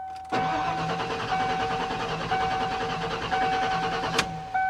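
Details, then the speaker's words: 1995 Ford F-150 with about 292,700 miles, non-runner, fuel pump primed by key cycling: steady starter cranking for about four seconds under a constant chime, nearly catching but not starting; fuel pressure and spark still to be checked. "No, it sounded like it almost tried to hit. No."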